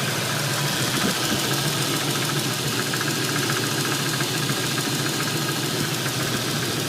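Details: Ford 302 HO V8 with 76,000 miles, warm start, idling steadily with a faint, loosely regular knock, roughly three to four a second.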